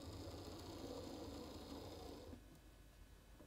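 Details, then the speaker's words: Hornby class 43 HST model locomotive with old motor, on track with power turned past halfway: faint buzzing hum with uneven pulsing speed, then drops away; jerky running of worn motor, reverse unpredictable. "bring her back the other way we're past halfway now oh there she goes so it's a little bit jerky let's say"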